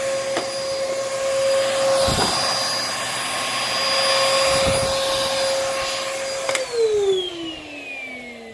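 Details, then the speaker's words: Vacuum with rusted screws running: steady high motor whine over a rough grinding rasp, then winding down at shutoff; the brushroll is seized and grinding and needs cleaning. "this brushroll is seized yeah this oh you can listen to that grind pepper grinder yeah so that brush roll is bad and it needs a cleaning"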